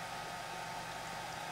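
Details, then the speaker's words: Dell Inspiron 8000-series laptop with hot-running 1 GHz Coppermine Pentium III: one of two cooling fans put to full bore, a steady airy hairdryer-like rush with a faint even tone, no ticking or rubbing. "So let's put one of them up to full bore. Yes, that sounds like a hairdryer."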